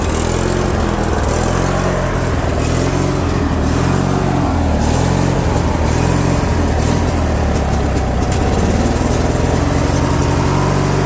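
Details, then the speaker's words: Craftsman lawn tractor with Briggs & Stratton opposed-twin engine and non-adjustable carb, surging speed up and down; fix is cleaning the jet behind the carb bolt with a small drill bit. "so here's the tractor guys I'll start it up so you can hear that surging then I'll show you the solution to stop that"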